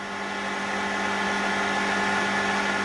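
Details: Grundfos MQ3-35 domestic water pump after replacing the start/run capacitor and reassembling: smooth steady hum with an even whirr, no hesitation or labouring, motor now kicks in immediately on pressure drop; running normally.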